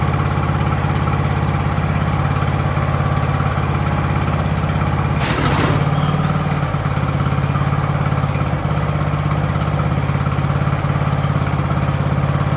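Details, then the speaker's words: Ariens hydro-drive riding mower, sat at least 2 years, jump-started in about 30-degree cold: steady, even low idle with no knocks or misses while warming up; normal idle. "all right it was nice to let it warm up because you should never just fire it up and go especially when it's this cold"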